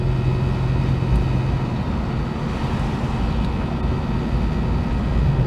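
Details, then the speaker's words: Holden HK banjo differential while cruising home after refilling the empty diff with oil: steady low road hum with a little low noise, no whine or squeal, no sign of a failed bearing. Normal for an old banjo diff. "little bit of low noise there, but that's nothing unusual for these old banjo diffs."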